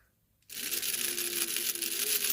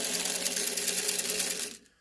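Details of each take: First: Old 3-volt toy steam-engine train, repaired, with metal gears, running: thin high-pitched motor whir with uneven scraping rattle as a part catches and drags on one wheel; freed, it then runs. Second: Old 3-volt battery toy steam engine train, its little motor oiled with penetrating oil after it was squeaky: a high, even whirr running smoothly without squeaks, then it stops.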